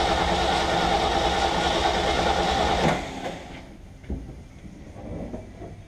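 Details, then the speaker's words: Ford F750 haul truck, stock engine, first start attempt with possibly bad old gas and a stuck choke linkage: even starter cranking about four turns a second for three seconds with no firing, then stops; cranks fine but gets no fuel. "Still might be getting that bad gas out of it though, you know?"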